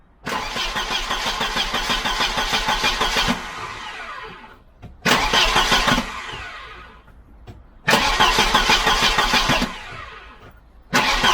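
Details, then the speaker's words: Volvo 740 2.3 B230F redblock, automatic, during a starter motor replacement: cranked only, without starting, because of bad fuel in the tank. Three bursts of fast, uneven, coarse, notchy whirring; the starter is rough. "yeah so i think we can deduce if that's a word that our starter is rough and that's probably why he changed it"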